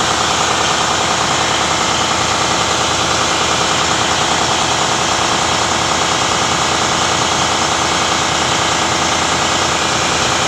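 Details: Harsh, rapid metallic clatter over an idling engine: turbocharger failure caused by a damaged nozzle ring.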